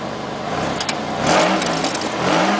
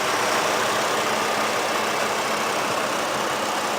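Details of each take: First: 1998 Oldsmobile LSS with 3800 Series II supercharged V6, muffler crushed in, likely from hitting a bump: two quick throttle blips with a harsh raspy buzz over the exhaust note as revs climb; raspy exhaust from crushed muffler. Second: 2010 Chevrolet Colorado LT with the Vortec 3700 3.7 L inline-five, steady smooth idle with little vibration and no knocks or misses. It sounds healthy.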